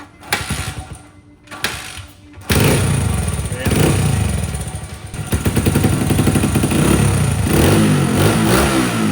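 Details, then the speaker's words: Previously sunken dirt bike, two-stroke, revs crisply up and down after restoration with clean throttle response and no bogging or misfire; carburetor was the fault, engine now healthy. "finally after hours and days of hard work we've got this sunken dirt bike running as good as new"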